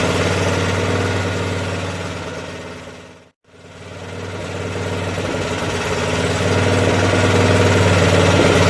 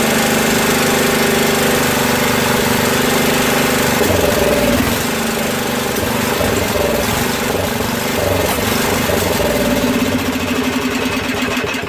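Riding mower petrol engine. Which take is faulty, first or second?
second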